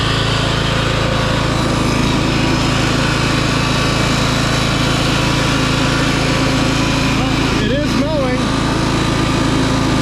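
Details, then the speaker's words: 2004 MTD Yard Machines Gold lawn tractor with a replacement 38-inch deck, not started in months and jump-started. Deck engaged with no blades gives a steady, even engine drone with no whoosh of cutting air. "yeah I kind of forgot there's no blades so that's why it sounds a little weird and that's why it's not cutting there's no blades down there"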